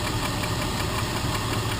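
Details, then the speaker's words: 2000 Jeep Grand Cherokee (WJ) after replacing driver-side lash adjusters/lifters: light quick tick repeats steadily at idle with engine speed; tick remains, valvetrain suspected, possibly a rocker arm though owner doubts it's loud enough. "Alright, so I'm dreading the startup, which I already did, but I'm going to do it again so you can hear it. that tick is still there."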